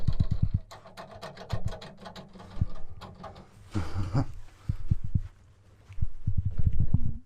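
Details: 1986 VW T3 Transporter single cab pickup with Tischer camper and 1.9TD engine swap: bursts of low creaking thumps, several a second, with each push on the body; shock absorbers completely dry, need grease.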